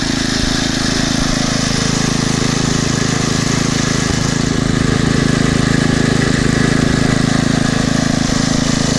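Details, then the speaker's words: Poulan/Weed Eater VIP garden tiller, 5 HP Briggs & Stratton single-cylinder, 15+ years old, on old gas after tune-up (new plug, air filter, oil, mixture-screw adjustment): steady even putter at constant speed, no longer surging; normal idle. "and that runs much better now not revving up and down like it [Music] was sounds really good"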